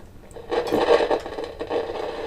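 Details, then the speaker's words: Kaiser W1835 tabletop radiogram, heard via signal tracer: irregular scratchy crackling bursts over hiss; crackle in the audio path, resembling silver mica disease but owner doubts it, exact source not yet found. "So, I'll put the signal tracer on and there's the noise. There it is."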